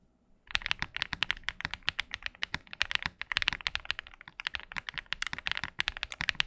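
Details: KBDFans Tiger80 keyboard, apparently after a force-break mod and EVA foam were added to remove ping and hollowness: crisp, even clacks at a steady typing pace with no ringing ping or hollow echo; well damped.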